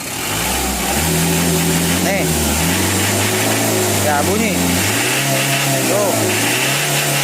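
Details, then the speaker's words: Mitsubishi L300 diesel with wrong engine settings, revving: hard, rattly roughness that grows louder on throttle; already noisy reaching 90 in third gear. Harsh combustion suspected from incorrect pump setup. "kalau sudah di sentuh bunyinya berlebihan gersangnya kayak gitunya itu untuk mau ditarik panjang gigi tiga mencapai ke 90 itu sudah berisik"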